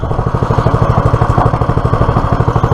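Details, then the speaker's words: Clarke PW50 petrol water pump after carburetor refit, started without choke on a mild day, sitting on concrete instead of its rubber feet: crisp, even firing about twelve pulses a second, light frame rattle; bearings survived petrol-filled crankcase, runs sound. "um I was very worried that with the amount of petrol that was in the crank case um the bearings would be shot the main bearings but that engine sounded sweet"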